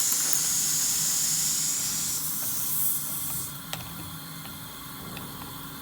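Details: Audi TT 1.8T 20v APX 225hp engine with K04 turbo in a Karmann Ghia drag car on the dyno: intake pressurised with a compressed-air boost leak tester gives a loud steady high hiss that then drops away, a boost leak.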